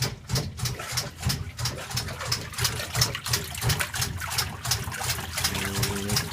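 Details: KitchenAid Prestige top-load washer on gentle cycle: clicking about three times a second over a low motor hum; no clicking on normal cycle; cause unknown.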